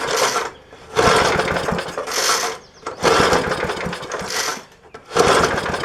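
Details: 1966 Briggs & Stratton lawnmower, first start in many years with fuel poured down the carburetor throat: rough bursts about every two seconds as it's pulled over, coughing on the primed fuel but not running on its own.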